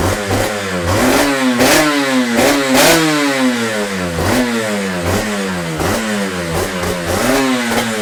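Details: Yamaha TZR 250 3XV 1990s two-stroke twin, first start after wreck-to-runner rebuild (new hoses, powervalve and oil pump adjusted, carb slides synced, exhausts refitted), in neutral: crisp blips rising and falling, then a smooth ringing idle with some smoke; normal running.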